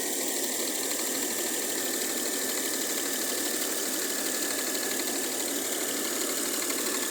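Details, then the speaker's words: Mercedes W212 with M272 V6 petrol engine at idle: light, fairly fast clacking over a steady idle hiss, seemingly from the top end; owner unsure of the source and asking what is clacking. "Woher kommt das Klettergeräusch? Klack, klack, klack, klack, klack, klack. Ich glaube hier aus diesem Bereich."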